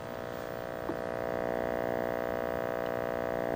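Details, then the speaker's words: 1974 Wards Airline portable color tube TV, soft-start thermistor bypassed, raster and high voltage present: only a low steady audio hum with no program sound. The rusty tuner or IF is suspected dead; hum source not confirmed. "it all looks pretty solid however there's only a slight hum from the audio"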